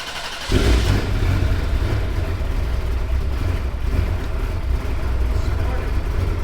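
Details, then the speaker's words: Ferrari flooded in July 2025 Texas floods, new battery fitted and wiring redone, after long crank following sitting: sudden loud low rumble catches after half a second and holds steady; hard start, blamed on sitting, not confirmed. "Star is having a hard time. It's okay. It's okay. I sometimes when they sit for a while."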